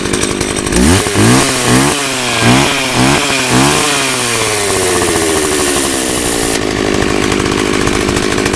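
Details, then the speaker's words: 24-inch two-stroke chainsaw with old fuel, started using starting fluid: blipped in uneven bursts, then settles into a ragged, wavering high idle; rough running on stale fuel. "I'm gonna run it a while and cut some trees with shit, and you know, put some new gas in it, because that's really the problem, man. This shit's got some old gas in there."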